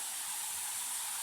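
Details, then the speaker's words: 2012 Retina MacBook Pro A1398 ME665LL/A that chimes but shows no video on boot: constant airy hiss of fans running at high speed, likely because the bottom cover is off. "We do hear it going into high fans at the current moment. Most likely that's due to the bottom being off"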